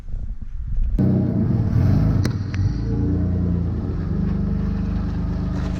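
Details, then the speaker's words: Twin-engine Mazda MX3 AWD drift car after fixing a corroded ground (rusty from towing in rain) that made it break up in the back: note swells quickly into a strong deep pull, no stumbling, normal full-power acceleration. "after fixing that one ground that was actually a problem then it started really taking off"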